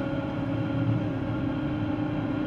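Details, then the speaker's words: 2013 GMC Terrain driving: steady low roar with a faint constant whine from the front, unchanged when loading and unloading the wheels; traced with chassis ears to a worn transfer case pinion. "and I'm a whining roaring type noise and I can load and unload the wheels and it doesn't change it one bit it sounds like a bearing"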